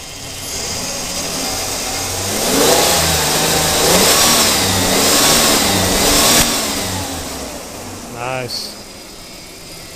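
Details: 2002 Ford Explorer after a timing chain job: the engine picks up cleanly through a few smooth revs and settles back, with no ticking or rattle from the front. Running healthy.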